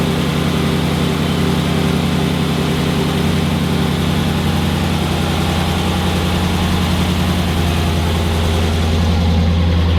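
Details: 2006 Chrysler 300 SRT8 6.1 Hemi V8, first startup after stage 2 cam, valve springs and retainers install: deep, heavy idle holding steady with a choppy, loping cam beat; settles and runs fine.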